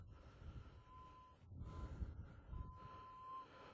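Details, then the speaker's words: Minelab Eureka Gold VLF detector in Northern Nevada gold fields, out of boost, rechecking a dug hole: thin ~1 kHz tone wavering over low crunching with no sharp target response; ground mineralization (iron, black sand) getting hotter, not a target. "that's not the target signal anymore that's the ground mineralization now this ground mineralization is getting a little bit hotter as I get up further up"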